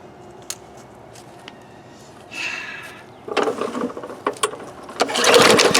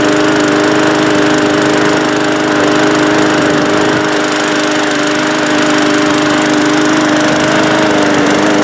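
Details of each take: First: Discarded Bolens lawn mower with Briggs engine, fuel in tank, primer bulb, air filter and cover missing: five rope pulls spin it with a whirring rasp, never fires; cranks but will not start. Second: Briggs-powered Bolens lawn mower rescued from the trash, first run after carburetor service with air filter and cover still off: steady, even single-cylinder drone, no surging or sputter; starts first pull, runs okay, probably just hadn't run in a while.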